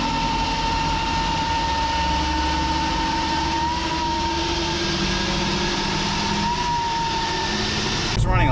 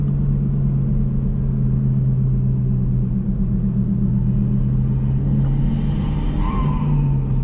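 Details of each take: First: Chevy Cruze with big turbo upgrade, running on factory diverter valve: thin steady high whistle wavering over the engine, turbo flutter, before blow-off valve install. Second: Chevy Cruze with a big turbo, after a blow-off valve replaced the diverter valve that caused a high-pitched flute or screech at steady third-gear cruise: a smooth, even rumble with no screech. Turbo running is normal.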